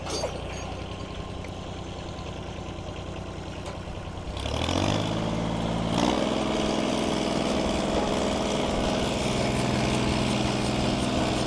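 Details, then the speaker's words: Ford 8N tractor with Funk flathead inline-six conversion, being pull-started in gear: turns over steadily, catches briefly then churns without firing cleanly; spark doubtful, points later found way out of adjustment; cranks but fails to start. "don't know if we have a spark I really need more RPM need to pull it with the pickup"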